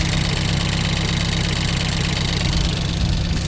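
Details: Ford Focus race car after a crash into a wall at Snetterton, started before rebuild, OBD scan showing nothing new, no leaks: steady low idle rumble with even beat, no clear knock or miss; normal idle.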